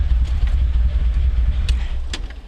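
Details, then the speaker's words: Dodge Stealth / 3000GT V6, recently rebuilt, warm, smoking at startup and idle, low oil pressure, tachometer not working: very slow heavy idle, deep low rumble sagging toward stalling, estimated around 600 rpm; idle speed too low. "But it sounds like my RPMs must be around maybe 600 or so. Really, really low."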